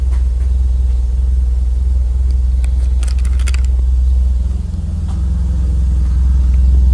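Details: 1995 Toyota Celica GT4 after fuel leak fix and new brakes: deep, even idle thrum, slight dip then steady, no misses or stumbles, no leaks; engine healthy.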